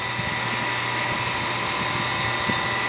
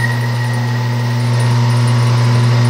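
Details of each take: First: Centrifugal water pump that had overheated and sounded irregular, now running after fitting a correctly sized start capacitor instead of an oversized one: smooth, steady motor hum with even high hiss and no knocking; current down to about 2.3 A. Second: Water pump motor (about 1.5 hp, uncertain) drawing around 19.6 A on an ammeter gives a loud, heavy mains hum with irregular sound and hard starting torque; it overheats because an oversized start capacitor was fitted.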